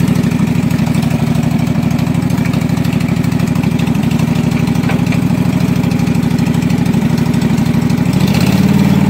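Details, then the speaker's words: Husqvarna mud mower, 18hp Kawasaki V-twin, after being submerged in a pond about 5 minutes, with water in the oil, float bowl drained and fresh gas with Sea Foam: fired right up and runs a steady, even low thrum, no misses or surging. "watering the oil a lot of water in the oil and it fired right up and ran"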